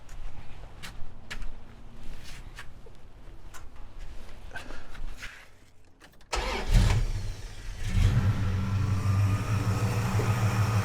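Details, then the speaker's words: Mild street V8 in the Red Duster on a Holley-type carburetor, after a blue accelerator-pump cam, a 37 squirter and adjusted linkage to cure a bog. Stationary with no load, it fires up, picks up cleanly when blipped and settles smoothly with no hesitation. "Okay. Perfection. Yes. I feel great about that."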